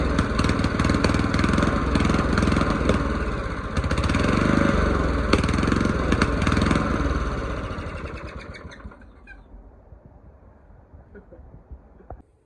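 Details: Old mower's original small engine after its carburettor was cleaned, jets cleared and a new gasket made. It runs with a steady, even thump for several seconds, then winds down and stops cleanly, with no misfire. Normal running.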